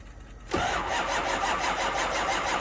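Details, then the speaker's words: 2005 6.0 diesel, cold start at 15°F in New York, on two batteries and a jump pack: half a second of quiet, then steady even starter cranking with no catch or speed rise, almost starting; no-start, cause not confirmed. "And that's that, bro. They don't always start. That's 2 batteries and a jump pack. It almost went."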